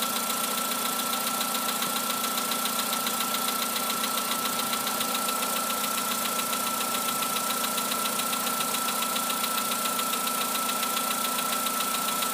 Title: Работа двигателя Polo Sedan. Стук поршней.